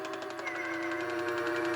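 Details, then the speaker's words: Aroma pop-up prop (haunted lady) after ratchet replacement, demo: steady small motor whir with fast, even ticking; works, slightly slower at first since mechanism not yet oiled or greased. "it's a bit slower at first cuz there's no oil on it right now or grease"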